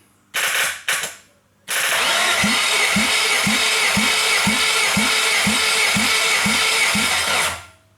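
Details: Nissan SR20 engine (SR20 swap, high-port vs low-port blocks) cranking without firing during a compression test, oil filter housing back on; starter whirr with an even chug about twice a second; cylinder reads about 125, no better than the other.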